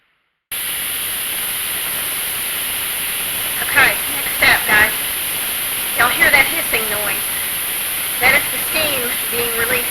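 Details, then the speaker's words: Pressure canner canning turkey broth: steady, loud, high hiss of steam from the release valve, venting normally for about 10 minutes to build steam before the weight goes on. "that release valve there and we want that to be hissing like that for about 10 minutes before we put our weight on top because what that's doing is that is building up steam inside of this thing"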